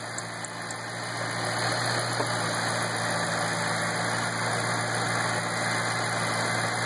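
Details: 2008 Ford Shelby GT500 at idle: light tick about four a second over steady idle hum; owner suspects a bad belt, cause not confirmed.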